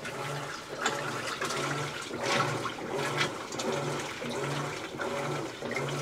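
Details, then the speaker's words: A Maytag top-loader washer on its test run after the agitation fault was repaired with a replacement part gives regular low thumps a bit over once per second with water sloshing. Agitation is now working normally and it completed all cycles. "that sounds like it's working let's Let it go through all the cycles and we'll just see"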